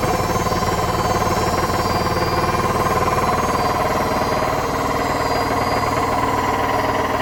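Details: Hotpoint BHWMXL145 washer at high spin on a test spin. Violent rapid banging, roughly four knocks a second, over the motor roar as the drum hits. Two drum spider arms are snapped.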